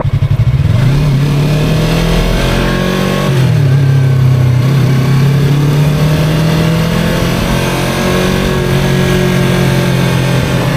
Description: Weird whining noise while riding. I don't know if it's harmful and I'm not quite sure what it is.